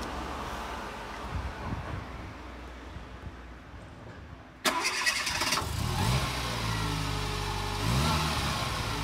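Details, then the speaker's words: 2000 Fiat Panda Young (141 chassis) petrol engine after rebuild for worn rings, oil passing into the combustion chamber and carbon buildup: new rings, valve seals, oil pump, radiator, thermostat, timing chain and tensioner. It cranks, catches cleanly and idles smooth and quiet. Normal start and idle. "praticamente nessun rumore tutta un'altra cosa ma è proprio un'altra cosa io un motore di panda così silenzioso non l'ho mai sentito"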